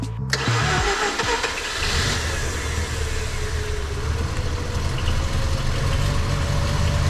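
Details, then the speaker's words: Long-stored abandoned Mazda RX-8 rotary, last try with no accelerator after very smoky cranking: catches and settles to a steady buzzy idle, smoky; owners unsure if burning off fuel or engine worn. "So, she's smoky, but she is running. Now, question is this just burning off the stuff that went through, or is it knackered?"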